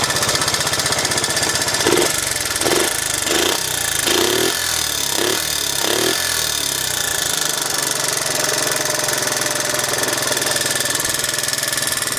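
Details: 1986 Honda Z50J Monkey, after rebuild with exhaust and carburetor repair: several quick throttle blips, then steady even single-cylinder putter at idle; running properly.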